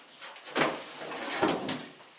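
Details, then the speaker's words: Removed fuel tank from a 1936 Chevy pickup, lifted and tipped on a stand: two heavy scraping slides, one each way; something sizeable is loose inside, owner suspects a baffle broke loose, possibly part of the sending unit float. "I'm just guessing it's probably that there was some sort of a baffle maybe that let loose in there that caused it to do what it's doing."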